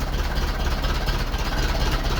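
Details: 1951 Ferguson tractor on start after thermostat housing replacement, throttle linkage loose for adjustment: low, steady thumping idle with an even beat, no misses or knocks; runs well and not leaking.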